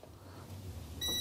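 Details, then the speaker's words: Chevrolet/Isuzu LUV D-Max 3.5L with no acceleration or power; silence, then steady high continuity beep as harness is flexed at a junction, intermittent open circuit in the TPS signal wire. "Aquí está en esta Unión ahí está si lo bajo se cae si lo subo"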